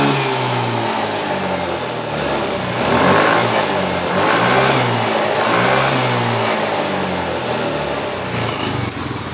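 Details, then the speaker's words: Yamaha Mio M3 scooter that stumbled under throttle after shipping, fuel pressure previously fluctuating, now after rotak part replaced and realigned to its plate (coil, TPS and throttle body swapped earlier); catches, idles evenly and revs cleanly; normal running. "Jadi motor ini langsung normal ketika kita mengganti ulang di bagian dari rotaknya."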